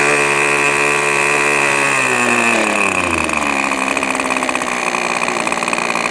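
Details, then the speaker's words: New O.S. 40 FP glow engine on a model airplane, after break-in leaning: high buzzy note falls smoothly as the throttle closes, then holds a steady, even low idle suitable for taxiing, takeoff and landing. Normal idle. "You can probably see now we're down to a nice enough idle where we'll be able to taxi the engine on the ground, and we should be able to take off and land using that setting."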